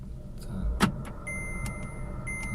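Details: VW Polo Sedan on factory Kama tyres, cabin microphone, driving in 5th gear at 60 km/h with a front wheel lifted: steady low drone inside the car, the hum of a worn right front wheel bearing (SKF VKBA 3569 replacement).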